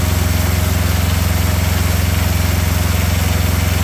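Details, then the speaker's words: Small diesel auxiliary power unit engine off an old truck, first cold startup without prep after glow plugs: steady, even diesel chug at idle, no knocks or stumbles; runs great. "well that thing runs quite well that is that's impressive now I did nothing to this motor as you saw I haven't tried to pre-start it I didn't warm it up but that was its first startup and thing runs great"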